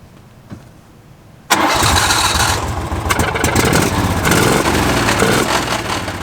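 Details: 2016 John Deere Gator XUV 550 4S, heavily used by a road crew, cranked with foot on brake and then a little gas: quiet at first, then it catches after long cranking into a rough, uneven idle; hard starting, extended cranking.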